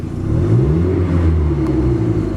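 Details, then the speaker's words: Modified carbureted KIA, lacking power under load: short no-load blip picks up quickly and smoothly, revs as quick as before, no popping or dieseling; normal free rev. "it revs up just as quick as it did before."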